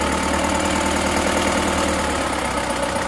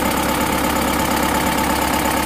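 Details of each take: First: Bison diesel (engine as Panther Turbo Euro 2), repaired several times before, just started after rebuild: smoother than before but harsh regular clatter about four times a second at idle; knock from injection pump timing not yet correct. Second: Bison diesel from Central Java, rebuilt with custom liners after a damaged block and repeated blow-by: steady, even idle with firm regular beat, no knock or miss, much smoother than before; injection pump timing still not quite right.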